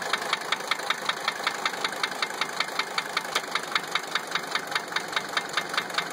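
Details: 1980 Mercedes-Benz 300 SD diesel idling with a sharp, steady knock a few times a second; injectors 1 and 3 already replaced and cracking lines doesn't cure it, so injector nailing ruled out; cause unknown.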